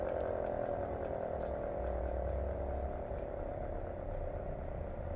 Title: GS CS-10V15QT Full Hi Lo (Bad Bearings)